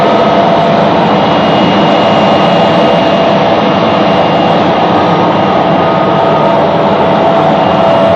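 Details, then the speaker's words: Real BR Class 74 electro-diesel departing Eastleigh on electric power, 1974 recording: steady jet-like roar with faint high tones as booster runs up before loco moves off. Booster set starting up. "We hear the loco starting up and the booster comes to life before the loco moves off."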